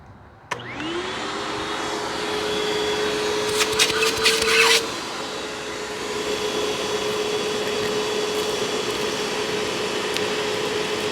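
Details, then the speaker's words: Hoover WindTunnel self-propelled upright vacuum, a curb find, with plenty of airflow so the motor is judged good. Spins up quickly to a steady, even high whine with a brief rattle of debris passing through. Normal suction motor. "well you know it certainly has plenty of airflow I'll give you that so the motor is in good shape"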